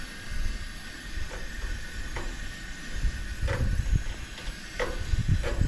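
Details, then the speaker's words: Coleman camp stove, garage-sale unit never started before, first burner lit: soft steady hiss with low rumble and faint irregular pops during roughly 1-minute warm-up before adjusting the valve; warming up, not yet burning cleanly. "Once it heats up, it says about 1 minute on the instructions. Go down to the bottom and adjust."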